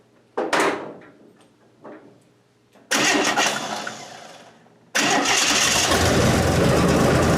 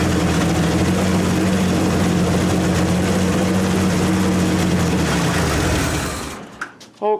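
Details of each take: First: 1927 Hudson run for the first time in about seven years. Two short cranking tries die off, then the third catches and holds a steady, even run. The owner wants to lower the idle next: normal running. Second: 1927 Hudson, running after sitting about seven years: steady, fast, even beat that never settles, so the idle is set too high. Owner plans to back the idle off and set the points.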